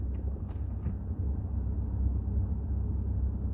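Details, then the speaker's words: Volkswagen Jetta 6 petrol idling with clutch pedal pressed: the dual-mass flywheel knock disappears, returning when the clutch is released, indicating a failing dual-mass flywheel. "если вы слышите, то сейчас все пропало. Сцепление отпускаете, и обратно появились звуки."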